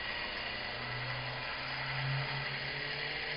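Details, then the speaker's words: Modified scooter motor after the brush back plate was adjusted and the rotation reversed: even, buzzing motor whine holding a steady low tone with no grinding; running properly and now charging the battery bank toward 12 volts. "to that bad boy crank right up look at her charge I mean that's it it'll be a twelve volt in a minute"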